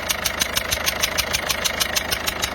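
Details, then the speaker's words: Peugeot 207 HDI diesel at idle: sharp regular hissing chuffs about five or six a second, loud and crisp, from leaking injector seals at cylinder 1; fix is replacing the injector seals after a diagnostic scan. "Donc là, on a le cylindre 1 qui est bien arrangé. Donc là, on va intervenir, remplacer les joints d'électeur pour résoudre le problème."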